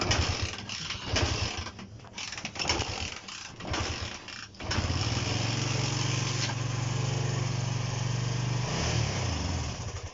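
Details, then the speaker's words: Honda CB125 during restoration, kick-started, suspected air leak at the bottom of the engine and possible fuel starvation: ragged sputtering, then a rough low drone that won't pick up on throttle and dies; engine bogs, won't rev out and cuts out. "See that? Just doesn't want to rev out, doesn't want to do anything, and it's back to exactly what it was doing before."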